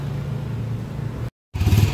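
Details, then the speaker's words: Honda TMX 155 single-cylinder after re-overhaul (rebore, original connecting rod replacing burnt, stuck rod), previously very noisy and smoky a week after a prior overhaul; steady low thump, no ticking or chirping, picks up evenly; now quiet, normal running. "Okay before and after yung andar niya kanina napakaingay Oh ngayon kaya tumahimik kaya brother L"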